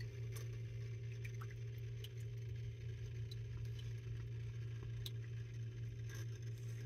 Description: My fountain became noisy, again. Last time, the noise went away on its own. But it came back stronger than before.